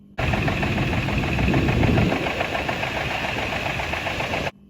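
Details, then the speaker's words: 2001 Ford 6.8 V10, recorded running before teardown: hard, fairly regular knock about four times a second over idle; teardown found a connecting rod with side-to-side play; worn rod bearing knocking. "So what that is, this is basically the knocking sound when it was running. I figured this, I expected this, and I don't care"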